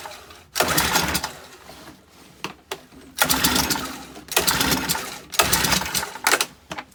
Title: No start leaf blower